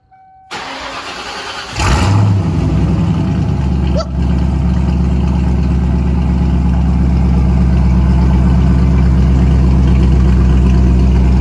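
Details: Ford Mustang, started: brief crank, clean catch, one blip, then a deep, loud, even idle through free-flowing mufflers; sounds healthy.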